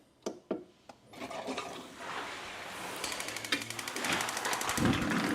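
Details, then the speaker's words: Camplux Nano 3pro propane water heater on medium heat, inlet and outlet both 72, pump on: a few sharp ticks, then rapid igniter clicking about four per second under water rush before the burner catches with a soft roar; normal ignition. "as you guys can hear that ticking clicking and then you can hear the uh flame igniting in this so it's running off their propane"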